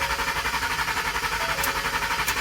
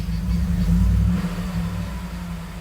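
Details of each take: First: 2011 Ford F-150 cranks but won't start, with a dash message "turn power off to save battery": steady, even starter churning at about ten pulses a second with no firing; the cause was a failed fuel pump relay fuse, not the battery. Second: 2011 Ford F-150 after the failed fuel pump relay fuse was replaced: it now starts, though the "turn power off to save battery" message remains; a brief rev, then a smooth, even, low rumble with no misses; normal idle.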